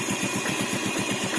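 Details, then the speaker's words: 2011 Yamaha Vega ZR carbureted motorcycle, spoke wheels, 19,739 km, idling with the mic close to the engine: a faint, even ticking about eight per second. The owner suspects the tensioner, but the engine otherwise runs well. "kemungkinan itu di ini dekat mesin ya, lotok-lotok tensioner mungkin atau apa ya, tapi sedikit sekali suaranya, hampir tidak terdengar."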